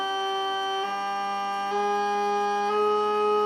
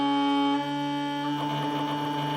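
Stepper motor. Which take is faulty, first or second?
second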